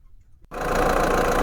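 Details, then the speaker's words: Mahindra Bolero diesel, used-car inspection: brief crank, catches and settles straight into an even, steady idle with no knocks; normal engine start. "अब हमने कर लिया इसका engine start और यह pipe जो है सही नहीं काम कर रही तो इसको हम एक बार निकाल के साइड में रख देते हैं"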